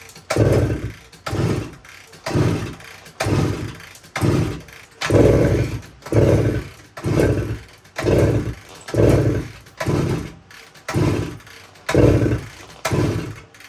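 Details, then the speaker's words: 1972 Suzuki TS185 two-stroke, choke on: about a dozen kicks, each a short chuffing rush that dies away, never catches; compression test still very low even with new head gasket ring, owner suspects worn piston rings. "d so I'm not having any luck getting this thing to run uh so I decided to run another compression test here and looks like we're still really low"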